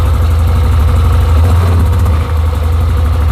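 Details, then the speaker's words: 2007 Yamaha Rhino 660 after repair of rough cold idle and high warm idle: single-cylinder engine fires right up and idles steadily with a deep even thump, no stumbling; choke returns properly without sticking. "Let's fire it up. Oh, fires right up like that. That's pretty awesome."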